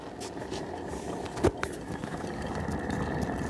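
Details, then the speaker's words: Honda XL250R rear wheel spun by hand with chain off gives a dry, gritty hiss, faint thin ring and a couple of clicks; sounds rough, owner reckons the rear wheel bearings are gone. "Yeah, that doesn't sound too good at all."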